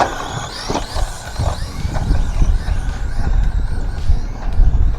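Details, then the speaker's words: Tamiya DF-03 Dark Impact shaft-driven RC buggy with large pinion, unknown motor, on track; harsh grinding and clatter rising with throttle over bumps and landings; owner suspects a screw added underneath is binding the drivetrain, unconfirmed. "Man, that sounds awful."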